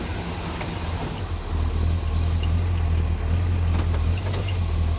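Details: 1957 Chevy V8 at idle after a roadside repair of a coolant and transmission fluid leak on Hot Rod Power Tour. Steady, even low burble with no misses, knocks or squeals, and it stays smooth when put into gear. Normal idle.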